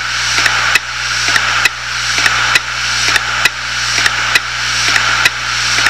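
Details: 250 GB Hitachi Deskstar 7200 RPM hard drive, dead and half full of data: sharp repeating clicks, a bit over one per second, over a steady high whir; the heads click instead of reading.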